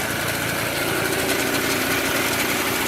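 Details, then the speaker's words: Mobylette X1 moped two-stroke after engine rebuild: steady, even buzz at constant speed with no knocks or misses; runs nicely but generally only with throttle fully open and tends to stall. "And this little bike runs very nicely. Okay, so it's getting better. Generally it only runs with the throttle fully open."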